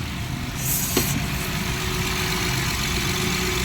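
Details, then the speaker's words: Left-hand-drive Honda Pilot that died after 3-4 km from a faulty alternator putting out 10 V; after alternator repair it keeps running with the battery cable removed, steady even idle with no knocks or squeal; normal idle. "ये बैटरी की तार तारी, गाड़ी स्टार्ट है। इसकी अपनी बैटरी रख, गाड़ी हमारी स्टार्ट है। इसका मतलब जनरेटर हमारा काम कर रहा है।"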